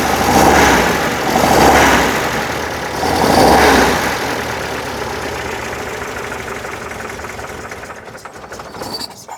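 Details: 1968 VW Type 3 with freshly installed 1835cc air-cooled engine, first start after install: catches quickly, a few revs, then eases into a quieter idle with no knocking while oil burns off; clean, normal start and idle.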